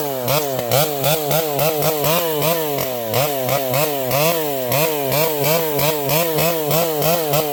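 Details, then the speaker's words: Vintage chainsaw with a governed carb cutting a leaning tree: the note rises and dips about twice a second, blubbering under load however lean it is set. Normal running. "This old girl is running beautifully. You can hear this thing has a governed carb. So, uh, it, uh, it blubers no matter how lean you you can't lean this thing out too much."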